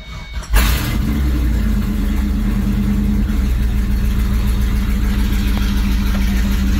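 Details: LS-swapped Ford S197 Mustang with a 5.3 iron-block LS and a CD009 manual, after finishing the fuel pump wiring: it fires after a short crank into a steady, even V8 idle. The always-on cooling fan is whirring.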